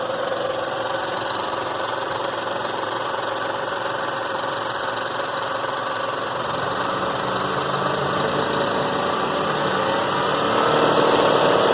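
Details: 1997 Toyota Avalon engine at idle with a fast, even clatter about three times a second over steady idle; rattling noise, source unknown.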